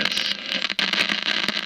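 Loud steady hiss and crackle with no station coming through; the set is just producing static, poor reception. Cause suspected, not confirmed.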